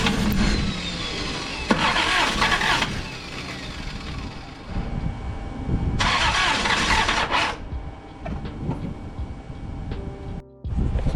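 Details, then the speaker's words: Toyota Cressida, 65,000 miles, 7M-GE with blown head gasket, fresh battery, fuel gauge not reading, possibly bad fuel suspected; starter spins engine in long bursts, nearly catches but never runs, crank no start. "All right, so we put a battery in, so we're gonna see what happens when I crank it. Fairly interested to see how this is gonna go. Nothing. Nothing happened."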